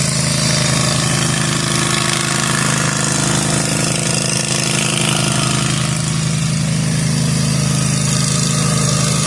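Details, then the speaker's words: Zero-turn lawn mower mowing overgrown lawn after repair and maintenance with new deck spindles and bearings: steady engine drone, even throb, no bearing whine or grinding. The spindles are so quiet, a healthy result. "These bearings on these new spindles are so quiet. Like I literally didn't even know i"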